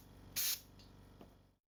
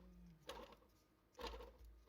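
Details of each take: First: Compressor with a newly bought modern silent oilless double pump, fitted with new air cleaners, motor capacitor and safety valve: sharp air hiss over a quick, even low pumping beat, running smoothly and healthy. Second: Oilless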